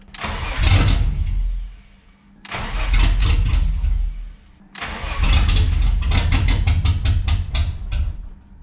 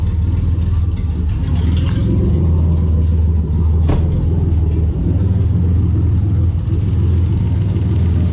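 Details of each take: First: 1991 Ford Scorpio 2.9 V6 Cologne, sat long unused: three long cranking bursts, starter about four beats a second, never fires; no 12 V supply reaching injectors. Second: 1991 Ford Scorpio 2.9 V6 Cologne, sat about 15 years, no exhaust fitted, air filter refitted: deep lumpy idle with loud open-pipe drone, slightly uneven beat, seemingly running on all six cylinders; normal idle.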